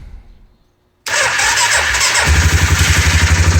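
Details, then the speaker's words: Suzuki Vinson 500 ATV that bogged under acceleration, after fuel system cleaning: clean crank, immediate catch, steady even single-cylinder idle, no leaks; fixed, instant throttle response. "There we go. Engine is running. Nothing is dripping. That's what we're expecting."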